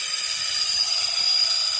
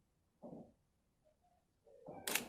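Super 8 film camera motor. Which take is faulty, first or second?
first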